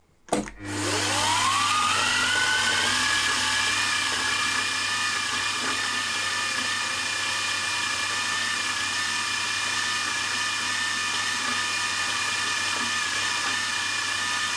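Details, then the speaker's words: Milling machine while machining valves and guides for a Jerry Howell V-twin engine. In high gear running fast its gearbox sounds like a bag of nails, a gritty rattle under a high whine. It seems all right in low gear; cause unknown. "I don't know what's wrong with the mill it sounds like a Bag of Nails in in the gearbox when it's uh in high gear and running fast"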